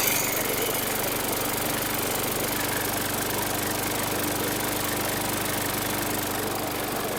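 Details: 2019 Murray push mower with a Briggs & Stratton 450E 4.5 hp engine, after a tight, dragging safety brake cable that caused a no-start was freed: a steady, even buzz from the small single with no misses or surging, running normally.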